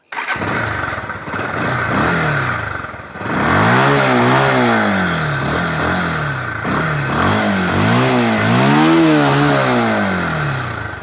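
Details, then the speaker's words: Bajaj Pulsar 150 motorcycle with a pick-up/misfire problem (carburettor, valve or CDI suspected) after parts replaced: starts, settles, revs rise and fall smoothly and evenly with no stumbles or popping; no misfire now. "এতিয়া মোৰ গাড়ীখন অলপো মিছ কৰা নাই।"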